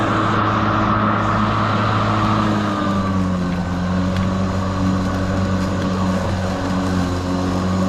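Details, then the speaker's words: Kobalt 80V Max cordless lawn mower, used 4 years without issues, running on high speed setting while mowing: steady motor hum with firm low drone; quieter than gas, noise mostly from blades; normal. "And you could probably carry on a conversation while mowing the lawn, but it's just loud enough that for my ears, I would rather not."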